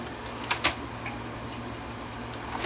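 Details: Panasonic PV-V4522 VCR that starts to play then shuts down and won't load some tapes: a few sharp mechanical clicks and clatters over low hum without steady motor run; tape fails to load, weak catch springs suspected.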